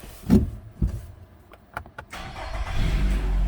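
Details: Vehicle at about 102,082 km, no warning lights: starter cranks briefly, engine catches cleanly and settles into smooth even idle with no knocks or misses; normal start.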